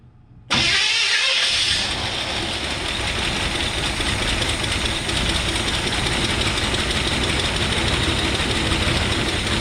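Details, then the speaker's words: 1970 GMC pickup with a small-block Chevy engine, off the road 20 years, first start from the junkyard: it fires within a second of cranking and settles to a steady, even idle. A normal start and idle. "too bad for being off the road for 20 years i'm sure it's gonna need a carb kit and a tune-up so on and so forth but small black chevy they just run they just wanna run"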